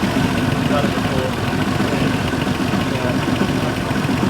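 Rough turbo V6 idle with a fast, sharp puffing tick riding over it, the sound of a blown exhaust manifold gasket.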